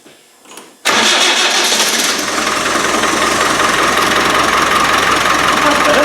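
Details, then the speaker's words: Rebuilt Land Rover 300Tdi after a no-start apparently caused by a faulty lift pump, with diesel now reaching the injectors: it catches after a brief crank and settles into a steady, even diesel idle with no stumble or misfire. "that's what it should do that's better"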